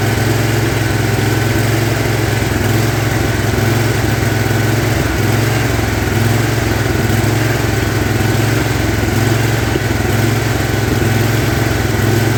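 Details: Big Toro lawn tractor with 50-inch deck after deck hanger repair: uneven hunting idle rising and falling every few seconds, the surge it had before; cause not pinned down, later mows fine.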